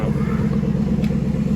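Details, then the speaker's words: 2016 Chevrolet Caprice after fuel rail and injectors reinstalled: smooth, steady, even low idle with no misses, versus running very rough before (codes P0208, P0300, U0401, Stabilitrak fault); rescan afterward shows no faults, check engine light off. "Here we go. Sounds smooth. It was running rough as heck when I shut it off."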